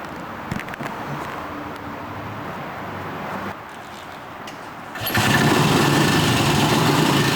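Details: 1960s BSA 250 single-cylinder motorcycle, first startup after a late-1990s restoration, in a parking garage: quiet, then the single fires and settles into an even, lively run about four beats a second; normal running.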